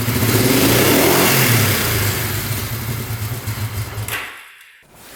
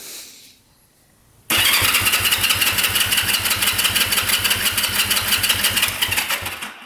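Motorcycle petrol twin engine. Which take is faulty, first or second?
first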